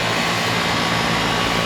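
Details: R22 outdoor condenser on a rental unit, no-cooling call (compressor had run but fan wasn't spinning), 89°F day, starting after the thermostat time delay: loud steady whoosh of air, faint constant hum, no rattles or scraping; fan and compressor running.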